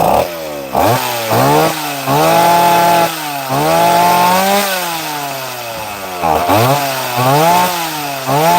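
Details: Chainsaw cutting wood after repair (new flywheel fitted on the "mystery 60"): revs cleanly up and down with each cut, holding a strong, even note under load; running right.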